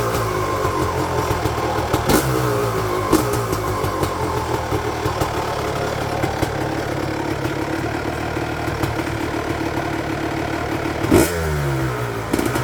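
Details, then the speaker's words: 1999 Honda CR250R two-stroke after installing a new exhaust gasket and springs at the cylinder-to-pipe joint: crisp idle with sharp throttle blips rising and settling cleanly, no exhaust leak puffing, and quieter at the front than before when it leaked. "So I think that was a success. It didn't leak whatsoever in the front, and the sound was much quieter in front, because I thought that the engine's noise was much greater before when it was leaking."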